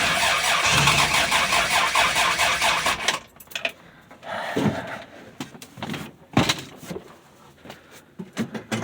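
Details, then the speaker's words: 1965 Dodge Dart, 225 cid Slant Six, cold start, fresh gas, choke turned down; long churning crank that never runs, then sputters and dies; hard starting from distributor cap whose carbon centre electrode had disintegrated. "Alright guys and gals, I found out what the problem was. Why I was having such a hard time. Somehow, I'll get it right there in the light. I don't know if you can see that. I'll try to zoom in. The carbon electrode there that sticks out of the bottom for the to make contact with the rotor was completely disintegrated."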